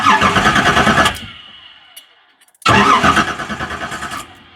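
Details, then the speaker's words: 1973 Camaro with aftermarket Fitech throttle body injection, sat nearly two years, main power feed accidentally connected to ground. Starter cranks at an even beat twice without catching; test light shows no power at the fuel pump, no prime. Crank no-start. "So it's not lighting. So I'm going to try and find the power source for that. I know that Fitech system has a fuel pump relay."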